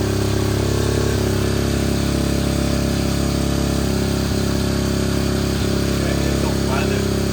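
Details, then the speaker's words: 2021 SSR 125 pit bike, single cylinder, new Lifan 125 cylinder head, after adjusting the extremely loose intake and exhaust valves: even, steady thrum with no tapping or knock; not the crankshaft, idles cleanly and has power. "Now the bike runs so good. So thankfully, it's not the crankshaft. It's not the crankshaft. There's no more knocking, and the bike actually sounds like it has power."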